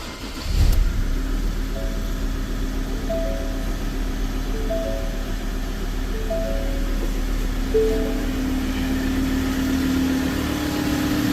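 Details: Diesel vehicle that shut down while driving and then would not start, after solenoid replaced and filter checked: engine catches within a second and settles into a steady, even idle with no stumble; normal start and idle.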